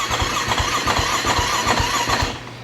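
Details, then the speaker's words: KTM 450SX (described as blown up), just reassembled, battery on charger: starter churns in even pulses about four a second, engine never fires, trails off; cranks no start, owner suspects battery. "It won't start. I think it's just the battery. Let's see, I hooked it up to a charger. Let's see if it'll actually start."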